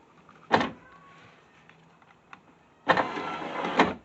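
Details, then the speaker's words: Subaru driver's power window after refitting the glass on its guide rail and applying lithium grease to the rail: short motor run, pause, then steady even whir with no grinding or binding; sounding better, moving freely. "hmm well sounding better"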